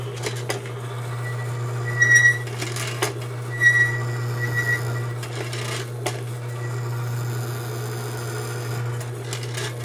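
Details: Lubricity test machine running with thin aerosol die lube applied under heavy load: steady low motor hum holding constant, a few stray clicks, no grinding; no wear afterward; smooth running under heavy load.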